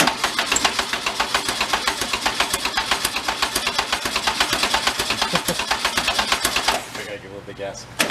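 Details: 1973 Karmann Ghia barn find, air-cooled, just revived, at a rough idle: sharp steady knock about four per second. Engine knock, cause not pinned down.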